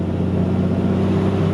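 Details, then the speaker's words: Second-gen Cummins diesel truck with freshly rebuilt NV5600 six-speed manual and dual-disc clutch, first drive after rebuild: steady low drivetrain hum while cruising, smooth clutch engagement, no grinding or whine; normal transmission operation. "so like I said before man this this clutch engag is super smooth transmission super smooth no grinding"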